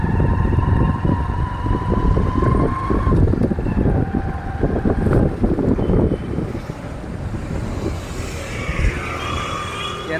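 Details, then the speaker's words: Bajaj Platina 100 single-cylinder while riding after overdue oil change at 3,000 km: even hum under wind rush, vibration gone, no knocking; normal engine running. "இப்ப பாத்தீங்கன்னா sound smooth ஆயிடுச்சு."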